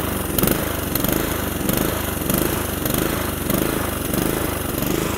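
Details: Honda GVC160 "Easy Start" lawnmower running just after a choked start: steady, even single-cylinder putter with a soft regular throb and no misses. Engine running cleanly.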